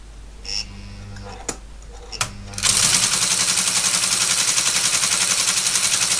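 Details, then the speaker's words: ASR33 Teletype printer after motor restoration, run at 90 V and drawing about 1 A (over 7 A before), not getting hot: mechanism settles into a fast even clatter about four beats a second, normal running. "okay well it seems to work it's got the power to drive the machine it's not getting hot straight away"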